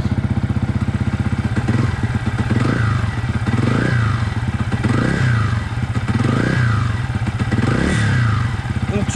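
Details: Yamaha YZF-R 125 single-cylinder with a Powertronic fitted, idling around 1900 rpm with a short rev blip about every second and a half, settling back cleanly without popping. Normal idle with throttle blips.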